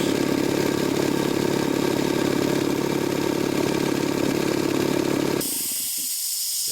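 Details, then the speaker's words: Jenny air compressor, 3 hp electric motor, K pump, start-stop mode, running from 100 to 125 psi. Even motor-and-pump drone about five seconds, abrupt stop, then hiss of air release; pressure switch cutting power normally. "you go now the pressure has hit the pressure switch disconnected the power at the pressure switch which has now turned off the electric motor"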